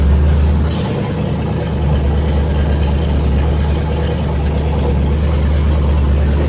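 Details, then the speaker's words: Freshly rebuilt engine with forged pistons and rods, 10.3:1 compression, MSD, first start: loud, deep, even rumble with no knocks or ticks; normal running. "Sounds like it's running. It's pretty loud."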